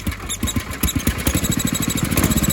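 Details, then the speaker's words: 1976 Sears ST12 single-cylinder tractor after new PCV breather, hose and tuning: idle thumps about nine times a second with a faint high squeak, new since repair; plug changed without effect; owner suspects head gasket or PCV, sound seems from exhaust side. "You can hear that squeaking. It's weird. I'm not sure what it is, to be honest."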